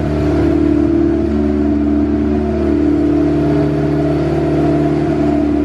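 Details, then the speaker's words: Built turbo B16 EF Civic hatch, cold start: a steady, even idle held high with no hunting because the fast idle valve is fully open; it closes and the idle drops once coolant warms after about ten minutes. "you can see it idles really high. That's because the fast idle valve, this car has a fast idle valve, and it's opened up all the way."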